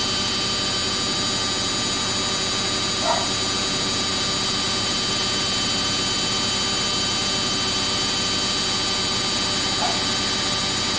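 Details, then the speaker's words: Samsung front-load washing machine on a cotton wash cycle with bubble soak and heavily soiled clothes, at full spin: a loud, steady high-pitched whine, likened to a Ferrari, holds level with only a faint hiss. Fast, even spin, normal. "I recall in another of my videos, a subscriber said, it sounds like a Ferrari. But you can hear, it's so fast. It's spinning so fast."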